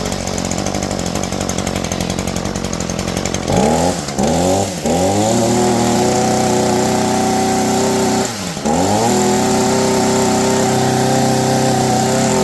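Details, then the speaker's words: Shindaiwa SH262 hedge trimmer, warm near operating temperature, blipped throttle: buzzy two-stroke drone dips and climbs but never winds up to high-pitch scream; not reaching peak rpm because the exhaust port/muffler is carbon-blocked. "you can definitely tell that this is not winding out like a two-stroke engine should it doesn't have that high-pitch sort of whale to it"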